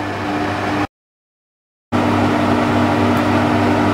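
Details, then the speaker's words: Trotec TTK 75 E dehumidifier after about half an hour running, producing water: steady low tone with constant fan rush, no rattles or clicks; compressor running normally, then refrigerant liquid moving through pipes as it shuts down. "You can hear the sound of the compressor shutting down. Basically, it's the gas, or not only gas, it's actually liquid moving through the pipes."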